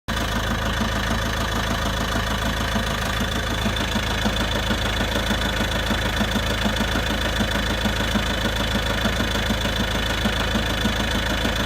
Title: Volvo v70 2.0d knocking noise from clutch?? Dual mass flywheel??